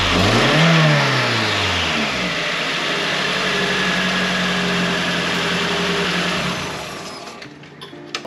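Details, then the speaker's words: Nissan KA24 after timing chain, timing cover, front main seal and gaskets replaced for suspected chain slap (previously gravel-like rattle): catches and revs, then steady even idle with no chain slap before shutting off; sounds much better than before. "sounded decent, I think. It sounded a lot better than it has in the past."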